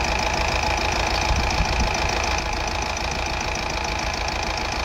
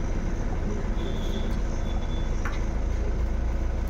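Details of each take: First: Honda Amaze diesel with low pickup, vibration and check engine light (DTC P0203): rough uneven chug with irregular knocks at idle and revs, one cylinder dropping; misfire. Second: Honda Amaze diesel that had misfire, vibration, low pickup and check engine light with injector code P0203; after repair it starts and idles with a low, steady rumble and no stumbles, misfire resolved and revving properly; normal idle.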